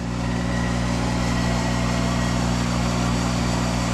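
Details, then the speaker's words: Monarch 10EE lathe, 5 hp thyratron vacuum-tube DC variable-speed spindle drive, warm-up after sitting two months; spindle running in reverse at 800 RPM with oil pumping up. Smooth constant hum, even whir, no knocking or grinding. Normal spindle running. "running at 800 RPM isn't that slick"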